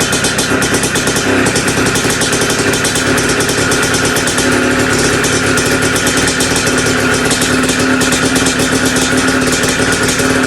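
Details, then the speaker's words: Two-stroke bike just restarted after top-end rebuild with big bore, head mod and performance gasket: busy idle with fast metallic rattle over exhaust and more compression. Top-end rattle later found to be just heavy vibration. "I don't like how much it's rattling up there but you can definitely hear the compression a little more with t"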